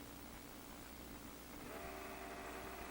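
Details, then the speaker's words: JVC GR-S77 S-VHS-C camcorder with bad capacitors, autofocus not working: faint mechanical hiss, then a thin, rough whine as the zoom runs and sticks at certain positions. Rough zoom motor noise, cause unclear. "The zoom sounds like crap. And there are definitely locations where it gets stuck, such as right there."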